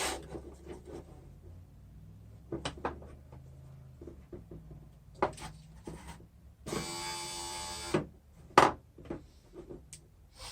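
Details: Window regulator and motor from a 2011 Acura TSX, junkyard unit found locked up, then cleaned and regreased, bench-tested after repair: a brief, even whir with steady pitch and no grinding or catching. The motor runs normally.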